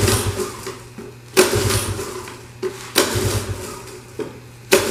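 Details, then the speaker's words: Honda ATC 70 (about 1983), rebuilt, bowl primed, choke on; uneven cranking bursts every second or so, turns over but never catches; no start, not getting fuel. "Alright, so that was a bit unsuccessful. What we're gonna do now is we're gonna check to see if there's gas on this plug."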